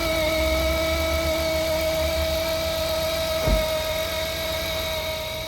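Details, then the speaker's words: 2007 Jeep Wrangler 3.8L at idle before alternator replacement: steady high whine clearly above an even idle, from the failing alternator. "all right so as you can hear this is the sound that the alternator started making once I hopped in the Jeep and I immediately knew something was"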